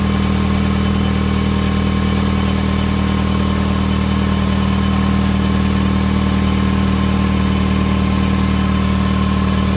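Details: 2005 Hyundai Tucson GL 2WD at first start after replacing the exhaust manifold, catalytic converter and O2 sensors. Steady, even idle with light smoke from burning grease; no obvious ticking, though a small leak is possibly suspected.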